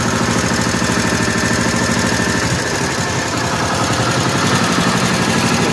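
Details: 1955 Cushman Truckster after the fuel line was blown out with a long nozzle, idle setting unknown; even, steady low chugging with a regular pulse and no knock or misfire, no smoke, quiet through a homemade EMT-conduit exhaust: healthy single-cylinder idle.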